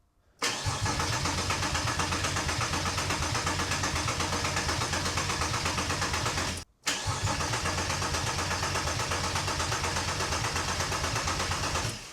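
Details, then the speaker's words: Porsche Boxster after an engine swap from a parts car, no exhaust fitted, on a charged booster: two long, even cranking bursts that never fire; cause unconfirmed. "So, although it smells like there's a lot of fuel fumes from the engine, I just sprayed some brake cleaner in the air filter, and yeah, it looked like the engine wanted to start."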